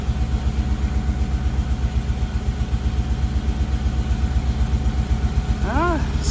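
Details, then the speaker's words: Mustang Cobra supercharged V8, first start on a new 1000HP ported supercharger, before it gets hot. Lumpy idle stumbling about four times a second, sounding like a miss. Exhaust cam actuator circuit code; suspected Bank 2 fault, possibly a bad sensor, unconfirmed. "hmm interesting let's go take a look at the laptop so that sounds like it's missing before this thing gets too hot"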